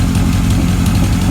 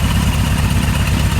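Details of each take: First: 1978 Kawasaki KZ1000 LTD four-cylinder on its first runs during a rescue rebuild, new rings still breaking in: lumpy, slightly irregular idle with uneven firing pulses. It is expected to straighten out; cause not confirmed. Uneven idle. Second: 1978 Kawasaki KZ1000 LTD with new rings breaking in, run on reserve during a driveway test: a smooth, even four-cylinder burble at steady idle with no knocks, misses or rattles, a normal idle.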